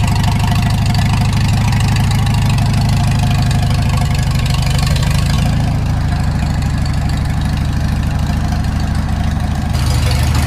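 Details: Farmall Super M tractor before engine rebuild: low, uneven idle with a dull knock about three times a second under the exhaust; engine knock at idle.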